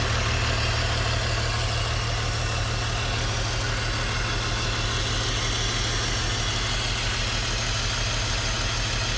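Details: BMW E46 rough idle with a lumpy, uneven beat, stumbling every few firings and shaking the engine; it throws code P1347, a cylinder 3 misfire.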